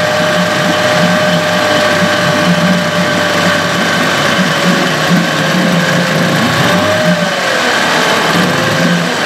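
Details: Evinrude/Johnson 15 HP outboard running steadily with a thin, constant whine above the motor note; the whine is less bad since the drive shaft was swapped but persists and is felt, source unclear; motor deemed parts.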